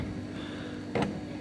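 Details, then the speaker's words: Silhouette Cameo 3 cutter, loading/unloading roller that jams occasionally going forward: faint motor hum then two sharp clacks as the roller shaft binds and stops spinning, possibly misaligned — roller drive gear jamming. "don't think there is a clutch in it but it does appear to be getting jammed in the movement brought up out there and then back this way as well you could hear it see it locking up"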